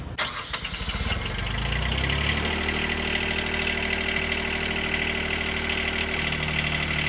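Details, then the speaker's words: Duralift Jibbi 1250 boom lift pre-start check, diesel engine started from controller: cranks and catches cleanly, settles into steady even idle while high movement buzzer beeps over it; normal startup with alarms working. "and during the startup procedure we will hear our movement buzzers and alarms working"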